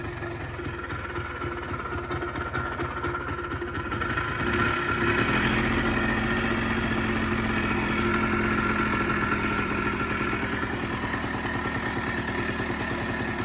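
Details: Polaris Trail Boss 250 4x4 ATV, exhaust still cold, fuel on reserve; engine chugging unevenly at low idle, ragged slow pulses, struggling to run clean; rough cold idle, cause not confirmed.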